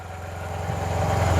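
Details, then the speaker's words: 2009 Yamaha T-Max scooter, project bike at about 18,000 miles, first start: settles into a low, smooth, even idle with no tapping or rattle; quiet, healthy. "there we go and it's quiet it is a nice quiet bike that's pretty go pretty darn good"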